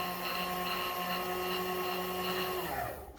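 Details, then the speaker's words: Custom CNC milling machine power knee motor driving the table down: steady motor hum near two hundred hertz, even unbroken run then stops; knee drive working normally. "is just to drive the knee itself. So basically, it's going down right now, and that is just so you don't have to crank that by hand,"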